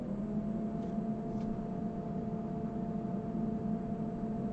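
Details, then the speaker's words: Medical grade air compressor, after repair with cover secured: low steady hum with smooth intercooler fan whir, no knocks or rattles; compressor running quietly and healthy. "i don't know if you guys can hear that you can obviously hear me talking so it's not that loud that's just that uh intercooler fan right there"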